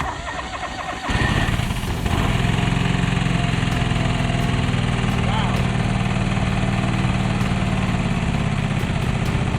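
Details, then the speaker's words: Free John Deere 425 all-wheel-steer garden tractor, previously not running, first start after refilling the carb with fuel, no coolant in the radiator: catches after brief cranking and settles into a steady, even low idle with no knocks or misses. "that's no joke id id like that die that run surprisingly good"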